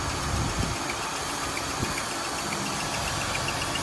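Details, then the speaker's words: Just-bought car at idle: uneven, occasional stumble and loose knocking, described as a hiccup noise; power steering also whines when turning, possibly low; cause unknown. "that noise there you talk like the hiccup sounding noise right that noise right there"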